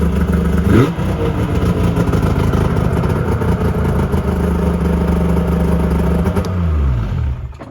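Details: 2001 Yamaha Venture snowmobile two-stroke after cylinder repair and carb cleaning of clogged jets, electric start: fires with quick blip, settles into smooth even run before shutdown; healthy.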